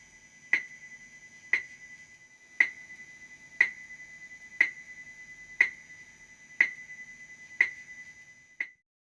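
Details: Sharp clicks once a second, each with a fading buzz, heard through the amp of a 335-style electric guitar: electromagnetic interference from an electronic watch near the pickups, not a guitar fault.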